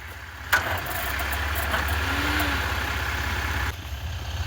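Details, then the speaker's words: 1996 Ford Mustang GT 4.6 on its third start attempt after starter work: engine turns over for about three seconds with a labouring, heavy crank but never catches; the starter engages but the battery is too weak. "that's a good sign it's turning so the starter's engaging we just don't have any battery"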